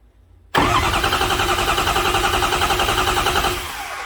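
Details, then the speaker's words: Even, steady cranking rhythm from a 2005 Ford F350 6.0 diesel V8 cranked by jumping the starter wire, with a misfire and weak cylinders 4 and 7 plus a glow plug fault on 6; cadence suggests healthy compression before an amp-clamp relative compression test. "just listening to the cadence of the engine cranking i don't think it's got a problem"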